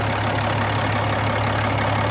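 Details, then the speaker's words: 2007 Peterbilt 386 diesel with an Eaton 13-speed manual, brought down to idle: deep, even idle with a steady low throb and no knocks or misses; normal diesel idle. "Let's get this thing down to idle. Let's have a listen to it running, and I'll get that oil filler cap off, and we can see how much blow-by is coming out of it. Sounds good."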